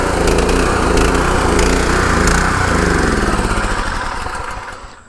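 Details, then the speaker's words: Gravely engine powering a pressure washer just after its Annovi Reverberi XMV3G25D pump front-seal rebuild: steady drone falters, surges and winds down to a stop as if fuel-starved; owner suspects it's running out of gas, unconfirmed. "so let's get on it well it sounds like I'm running out of gas"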